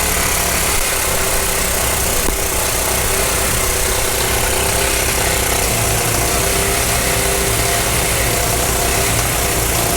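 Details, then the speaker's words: 1991 Honda Z50R mini bike found in a shed, first run: small single revving unevenly and hunting with a ragged beat, won't hold steady throttle; owner says the carb definitely needs cleaning. "and there you go it runs it runs the carb definitely needs clean"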